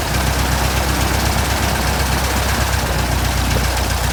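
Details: 1967 Citabria restoration, first engine start: loud, steady low drone with an even firing pulse, no miss or roughness; the engine idles smoothly.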